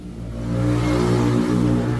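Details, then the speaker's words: Kia Rio with a no-start, no check-engine-light problem in the shop: engine finally catches and runs with a smooth, even low drone that swells slightly, no knocks or misses; normal running. "Umaandar na siya. Anan oh. Umiikot na oh."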